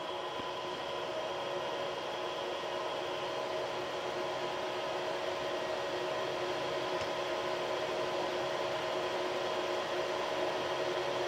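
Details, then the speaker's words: Creality CR6 SE 3D printer while printing, about 64–65 dB: a steady, airy hum with fixed tones from the stock power supply and motherboard fans. The X, Y and Z stepper motors are very quiet; the fans make the noise. "you can hear the uh the motors the x y and z mowers are all very very quiet it's just the fans that are generating the noise"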